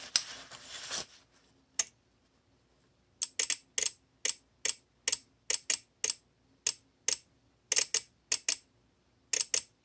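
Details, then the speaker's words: VXT-24 steam boiler water feeder, about two years old, water dripped on manual feed switch to simulate leak: irregular bursts of sharp dry clicks, about three a second; shorted switch chatters the relay, opening the valve and flooding the boiler. "so that's sending power to these leads here which is then causing the valve to open up and um flood the boiler"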